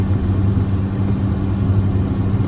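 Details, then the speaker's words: 28-year-old Lexus on a test drive after the misfire repair: a steady, smooth engine drone with no stumble, miss or knock. A split or misplaced gasket/RTV was found during the work; the engine now runs without problems. "but uh right now it seems to be going good. This test drive seems to be going good. again, no problems whatsoever."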